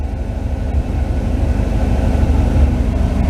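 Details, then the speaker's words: Car fires right up after its MSD distributor was repaired (no-spark fault), a little cold: smooth, even low idle with a steady pulse, no misses; timing being advanced back up, running nice and smooth. "Firing it up. Fires right up. Running nice. Now adjust the timing back up. Nice and smooth."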